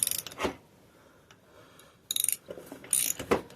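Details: Mid-1980s Yamaha YFM200 Moto-4 quad with rusted plug and scaled piston: brief clunky starter bursts, each jerking and stopping dead with no cranking rhythm; engine acts seized and only breaks loose after a fight.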